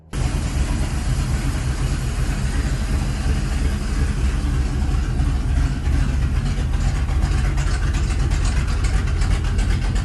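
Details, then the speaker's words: 1983 Chevy C10 with a 350 V8 built from used performance parts and a new Holley 750 4150 carb replacing the Quadrajet. Mixture leaned half a turn per screw for best vacuum and idle screw reset: steady, even, healthy V8 idle. "that's where I I got the best vacuum and everything so and it sounded happy there and so I just reset the set the idle screw and this thing's good to go"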